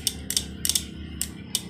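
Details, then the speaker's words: Honda Vario scooter electric starter: only sharp, uneven clicks with no cranking, because the battery is too weak. Battery to be charged and the starter motor and wiring repaired. "berarti kurang, akinya udah kurang tenaga ini."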